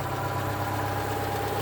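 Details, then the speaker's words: 1968 SportCraft Adventurer 16 ft boat, Renault 60 HP inboard/outboard on hose water, just started after five days idle: steady even low idle hum with no stumbles or misses; runs very smooth. "Runs very smooth. Like I said, this is from 1968. The boat is 52 years old."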